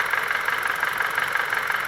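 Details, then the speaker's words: 2012 Chrysler 200 Limited running badly with the check engine light on, during misfire diagnosis by unplugging and swapping coils: lumpy, uneven idle with a hollow, lopsided beat and visible shaking. Two cylinders are dead. "you can see the engine shaking"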